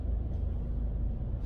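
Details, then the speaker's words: Mercedes-Benz E-Class W212 after anti-noise work on the panoramic sunroof, car reversing over rough ground: only a soft low rumble and seat creaks. The earlier rattling on bad road is gone and there is no sunroof rattle. "네, 지금 전혀 안 나죠? 지금 뭐 시트 소리만 나네요. 너무 조용하니까 시트 소리가 들리네요."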